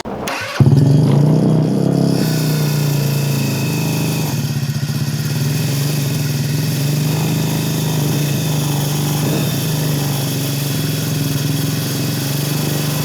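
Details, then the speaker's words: Geo Metro-engined Metruck first start after rewiring; low, slightly uneven idle that won't stabilize, owner suspects air leak causing hissing and belt noise; running rough. "We got it running. We did it. Not running perfectly, but... Oh, the point is, motor turns on."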